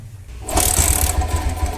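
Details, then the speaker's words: Old Bajaj Pulsar 150 single-cylinder petrol bike kick-started after standing about five to six months, fuel tap on and choke pulled: catches after a few kicks and builds to a fast, steady putter; starts normally and keeps running. "ನೋಡಿ start ಆಯ್ತು ಹೊಡಿ ಹೊಡಿ ಹೊಡಿ key ಕೊಡಿ ಇವಾಗ start ಆಗಿದೆ"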